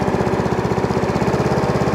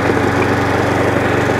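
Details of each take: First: Hayter 41 Autodrive variable-drive mower after new belts: even, steady single-cylinder putter at roughly fourteen beats a second, no misses or knocks; healthy idle, though a catch, possibly a seized drive-chain link, remains. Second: Hayter 41 Auto Drive variable-drive mower, before belt replacement, drive engaged on low: steady single-cylinder running with a faint recurring snag in the drive; owner suspects the chain slipping on the side sprocket or a seized chain link, drivetrain catch.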